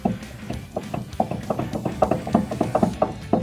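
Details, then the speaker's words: Four-cylinder Ford Ranger, front wheel rocked top to bottom while viewed from underneath: sharp metallic clunks in quick uneven bursts; not the knuckle but the wheel moving on the hub, from either loose lug nuts or a loose hub center nut. "yeah it's not the knuckle here or here it's actually the wheel on the Hub so we either have at least on this side we either have loose lug nuts or we have a loose center nut on the Hub"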